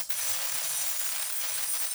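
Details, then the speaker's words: 40K cavitation handle of a Mychway 6-in-1 ultrasonic cavitation RF slimming machine, tip touching but not submerged in water. A steady, bright, unbroken fizzing hiss for about two seconds; the handle is working normally. "so we just take the cavitation handle to touch the water but do not make the handle into the water just touch the water as you can see there is a continuously using sound"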